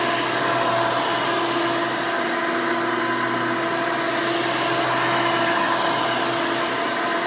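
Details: 1992 Hoover Elite II Total System Performance 650 upright vacuum (U4689-910), motor needed no work since purchase, running: loud, steady whir with even pitch, no rattles or surging; motor and fan run smooth and healthy.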